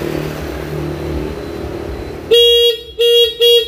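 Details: Yamaha Jupiter Z carbureted motorcycle: background rumble, then several clean, steady horn blasts at one firm pitch. The horn is strong and healthy, and the turn-signal light did not flicker, indicating a good battery.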